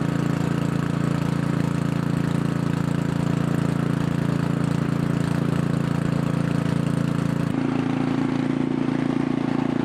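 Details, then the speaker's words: Craftsman 900/22 single-stage snowblower small single-cylinder engine after checking the carburetor for leaks, choked and primed: runs smooth and even at steady pitch, slight settle near the end, no misses or knocks; healthy. "all right guys so everything's running good so all we need is just some snow to test drive this guy"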